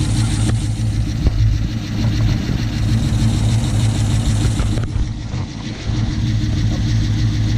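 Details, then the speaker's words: 2006 Chrysler 300 SRT8 V8 first start after aftermarket camshaft install, untuned; fires right up into an even, fairly quiet low idle with no ticking or knocking, lifters still pumping up; normal idle. "Stoked. Sounds good. It's relatively quiet. It's probably going to get even quieter as those lifters pump up more."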